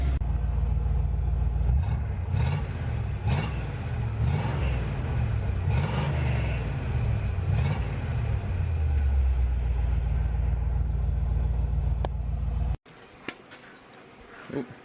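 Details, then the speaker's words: 1988 GMC C1500 just after new MagnaFlow Rumble mufflers replaced one thought backfired and broken internally, which had caused a rod-knock-like rattle. Deep, steady V8 rumble with throttle blips and no knock or rattle; the exhaust sounds healthy. "Nice. Well, that fixed that issue. It sounds way better than I was expecting, actually, considering the mufflers were 32 bucks."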